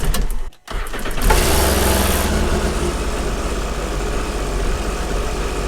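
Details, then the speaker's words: Sea-Doo jet ski on its first start of the season after winter storage, before an oil change: short starter whir, then it catches and runs steadily for several seconds before shutting off. Normal start. "so first we want to start the ski and let it run for about 30-ish seconds not too long not too short"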